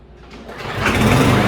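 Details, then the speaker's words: Murray walk-behind mower after full service and going through the carburetor (came in running rough, nearly dying): small single-cylinder catches and builds to a steady, even run within a second, no misfire; running normally, warming the oil. "The Murray mower is done, fully serviced, ready to mow again."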